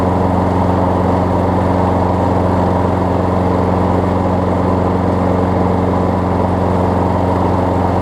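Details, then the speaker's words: Craftsman 6 hp self-propelled mower after a new pull rope, spark plug and air filter, started on the first pull: a loud, steady drone with an even beat and no misses or surging; it runs cleanly and the self-propel works. "for the most part it was good considering the condition of the mower the self repel works as designed"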